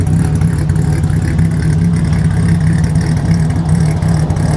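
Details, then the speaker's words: Abandoned 1984 BMW 5 Series E28 with the M30 engine, first start after 5–6 years sitting, after the no-start, fuel and spark issues were fixed: a deep, steady, even idle with no misses or knocks; normal idle. "We're going to actually start this car and let it idle for the first time in 5 or 6 years."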